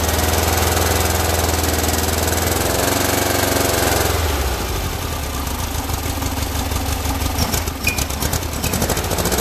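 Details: Freshly built air-cooled Volkswagen flat-four at first-ever start-up, oil pressure confirmed: loud, uneven running with irregular lumpy beat and no smooth idle; carburetors badly out of adjustment and need tuning.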